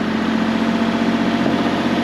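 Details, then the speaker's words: Mini-excavator diesel engine restarted on diesel after running gas through the injectors: steady, smooth unbroken idle rumble, no knocks or misses, smoother than on gas. "all right guys she's fired back up she's probably a little happier on diesel not gas way smoother sounding"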